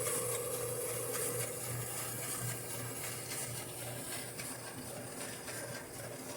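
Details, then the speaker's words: General Electric gas clothes dryer after repair of a loud squeal that worsened with load; drum now turns with an even steady rumble and low hum, no squeal or scraping: normal drum rotation. "como ven está corriendo super parejo"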